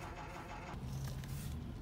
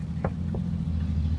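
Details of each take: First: 2007 Toyota Sienna, engine off, ignition on: faint steady low hum as the passenger power folding mirror motor keeps trying to fold or unfold and won't stop until the key is turned off; mirror motor running continuously. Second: 2007 Toyota Sienna, key on, engine running, after disabling the faulty power-folding mirror motor: only low steady engine hum and two faint clicks, no mirror motor whine; noise eliminated, mirror still works.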